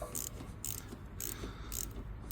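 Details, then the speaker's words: 2018 Mazda CX-5, parking brake light flashing, code C112A: electric parking brake caliper motor removed and turned clockwise, giving light ratcheting clicks about twice a second, never stopping or locking; internal caliper mechanism broken. "this mean the the caliber itself is is bad like the mechanism inside here is broken"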